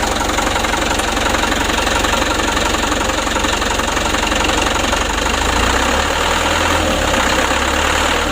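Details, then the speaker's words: Mitsubishi Canter HD 125 diesel truck (possibly 2025) during Bosch injection pump service and adjustment; steady idle clatter with faint uneven beat and slight shake; rough idle, pump adjustment still needed. "saya langsung gini ya bebas pelan agak merepet sedikit ada goyang sedikit kita hilangkan"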